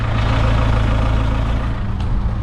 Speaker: Yeah. Yeah, I've definitely just blown the turbo well and truly up on that.